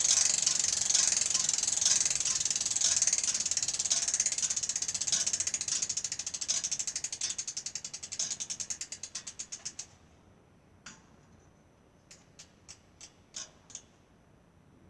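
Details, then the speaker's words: Bicycle wheel spun by hand during a tire (65 PSI max) replacement gives rapid, dry, rough, uneven freewheel ticking that slows as it coasts; the owner says there is clearly another problem besides the tire, suspected in the hub or freewheel. "Il y a définitivement un autre problème que juste le pneu. On entend par le bruit. C'est pas des très beaux bruits,"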